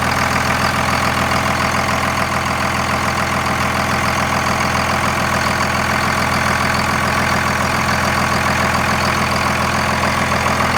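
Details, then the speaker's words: Second-gen 24-valve Cummins diesel after bleeding air from the injector lines and a brief throttle blip; steady, even idle clatter with smooth regular beat, no misses or knocks: normal clean idle. "Gave her a little throttle real quick, not much, just enough to get it above idle. Cleared right up, and the truck is idling fine."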